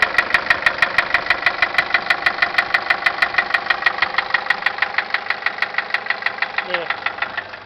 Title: 2006 nissan caravan engine knock